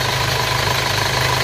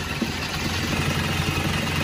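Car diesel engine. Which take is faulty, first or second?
second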